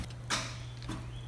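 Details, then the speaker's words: Wrecked Lamborghini Huracan being rebuilt, first start attempt after the crash: two light, isolated clicks about half a second apart over a steady electrical hum, no cranking; starter clicking but not turning over, cause not confirmed. "I mean we're just getting click so far little slot clicks but what if it just fires up man be awesome"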